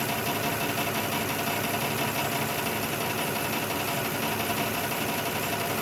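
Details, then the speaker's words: 2006 Lexus ES330 at idle during tapping on the number 5 injector: uneven idle with a loose irregular stumble instead of a smooth run; dead cylinder 5 misfire from a stuck-closed injector, only slight improvement seen. "It's got a dead cylinder on number 5 due to a stuck closed injector."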